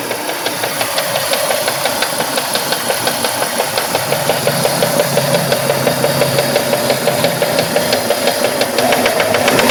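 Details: Mitsubishi 3000GT V6 at idle: steady rapid light ticking above the engine note; rod bearings already replaced and within spec, owner suspects a collapsed lifter, not confirmed.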